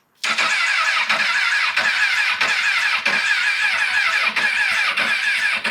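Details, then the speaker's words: Crashed 1000cc CBR1000RR sold with a suspected blown head gasket and no oil, refuelled with about half a gallon. The starter whirs steadily with no firing, and no fuel pump prime is heard, so the owner suspects the fuel pump or the tilt sensor. Cranks but won't start. "come on baby definitely don't hear the fuel pump priming hope I don't have to buy another fuel pump for this thing"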